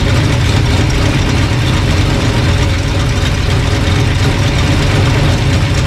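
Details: Old engine after sorting a bad distributor, timing being dialed in with timing light: deep, even idle holding a constant beat with no stumbles or rattles; normal idle.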